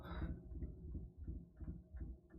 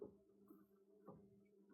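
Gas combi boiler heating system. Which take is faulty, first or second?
first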